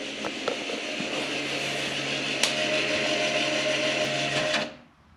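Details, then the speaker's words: 2011 Audi S4 electronic parking brake put into service mode via Carly OBD app, ignition on, for rear brake pad replacement; steady electric motor whir about four and a half seconds then clean stop; rear parking brakes retracting normally. "Okay, and then enter service mode. And you'll hear the rear parking brakes retract."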